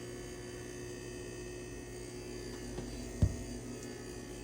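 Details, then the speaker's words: Backup UPS in a shed during testing: steady low electrical hum with a rough buzzing edge and one thump near the end; sounds wrong but still powers internet, cause unknown. "stiff noisy thing this thing doesn't sound right but it still works still keeps all the internet and stuff going"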